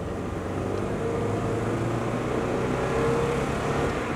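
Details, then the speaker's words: Mazda Miata on road test; under acceleration uneven stumbling beat with missing pulses and jerky pull, running on 3 cylinders, a pop at the exhaust manifold, cause unknown to owner: misfire under acceleration. "Je suis sur 3 cylindres là. Je peux pas vous faire un truc correct là, je sais pas pourquoi aujourd'hui elle tourne sur 3 cylindres."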